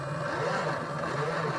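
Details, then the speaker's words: Barn-find 1976 Dodge Dart, stored unregistered since 1997, first start attempt with a little fresh gas: a low, labouring whir that never picks up speed. It cranks too slowly and the battery is smoking; a loose ground cable is suspected. "It's not cranking fast enough."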